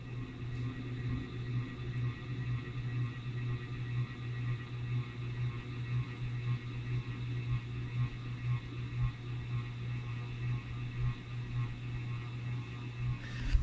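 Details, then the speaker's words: 52" King of Fans antique brass spinner ceiling fan on medium speed: steady low electrical hum with a faint pulsing buzz that starts once the motor heats up and later gets about twice as loud; motor runs hot, cause unknown (owner wonders about re-varnishing). "I don't know if that noise is picking up on a video. That's about half as loud as it gets. It gets even louder than that. And I just find it to be a highly annoying sound."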